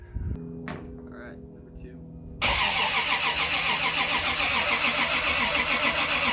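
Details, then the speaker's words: Turbo Lexus IS300 with VVTi 2JZ-GE build, first start attempt after newly wired sensors and wideband: starter spins the engine evenly at about three to four turns a second but it never catches; not firing, cause unconfirmed. "sounds like it's not sinking sounds familiar yeah take four"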